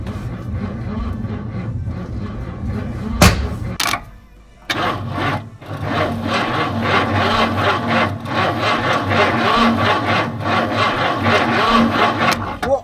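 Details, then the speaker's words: 1970 Ford Mustang fastback, believed to be a 351, with headers, after sitting 20 years and having its solenoid found bad: the starter drags slowly at about four turns a second, labored and uneven, before catching; a weak battery suspected. "hey hey isn't it because it's thr this at it's a low battery no it's not low yes it is it's a bomb guard battery"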